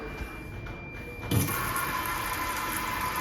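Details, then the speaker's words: Auto-sensor school washroom faucet after alarm fix: soft click then steady even water hiss; normal flow restored by unplugging, wiping the contacts and reconnecting. "and we have water again and in case you didn't catch it all I needed to do to correct the issue was to Simply unplug it give the contacts a bit of a wipe and plug it back in again and everyone was happy"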